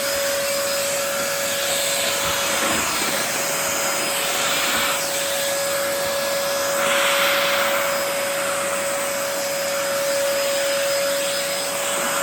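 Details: 2004 Dyson DC14 Animal vacuum, fixed up and on its first run since a new HEPA filter: a steady high whine at constant pitch over the airy rush. The owner says the bearings sound a bit funky, whining after a while.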